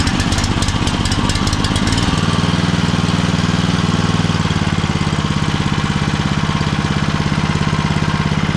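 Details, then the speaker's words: Homemade machine with a motor driving a poly-V belt through misaligned pulleys: loose metallic rattling chatters over the engine's thump and then settles, with a crunching noise and excessive vibration. "все сильно вибрирует [музыка] деревянную часть снял но ведет даже слышу что идет какой-то хруст хотя там вот зазор приличный"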